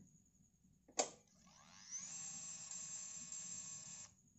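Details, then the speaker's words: Yamaha fuel-injected scooter (X-Ride/Mio J/Soul GT type): click at key-on, then a thin high whine for about two seconds cutting off cleanly. Normal fuel pump priming. "kita kunci kontak on nanti ada suaranya enggak Oke jadi deh bisa mudah-mudahan terdengar ya Jadi ada suara kayak gini suaranya"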